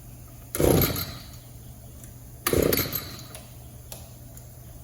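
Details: Echo two-stroke trimmer, no air leaks and a clean fuel filter, after adjusting the carburettor idle and mixture screws: two quick throttle blips flare then sag back instead of climbing. It bogs between idle and wide-open throttle from a lean carburettor.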